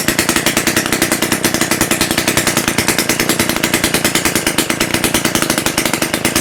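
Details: Rebuilt Romet S38 two-stroke moped engine, Almet cylinder, new parts, first start after overhaul with no exhaust elbow or muffler: loud, crisp, very even rattle about fifteen firings per second, open pipe; normal running.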